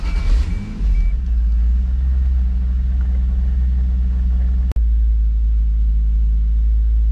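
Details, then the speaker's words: Toyota Supra Mk3 7MGE turbo-converted engine after switching from distributor to 2JZ/IS300 coils with stock 7MGTE igniter: cranks briefly, catches quickly, settles to steady even low idle with no misses, starts fine like with distributor; tach not working. "it starts fine, just like when it had a distributor."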